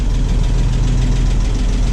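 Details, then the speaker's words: 1989 Toyota FJ62, 291k miles, barn find parked 10 years, just revived: rough low idle with a faint, quick ticking over the rumble; valve train tick blamed on bad valve adjuster screws. "i'd like to fix that tick before running it anymore but that's up next i'm going to pull those bad adjuster screws and see about that"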